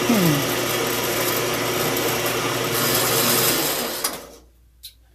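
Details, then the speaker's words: 4x6 band saw cutting after gearbox oil change: smooth even motor hum with steady cutting noise, no knocks or grinding, then winds down; sounds good, a little quieter, normal running. "So, sounds good. It's a little quieter."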